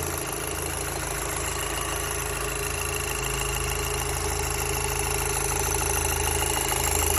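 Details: Audi TTS 8J right after starting: steady idle with a fairly regular light rattle, about three a second, over the engine hum; cause not yet pinned down.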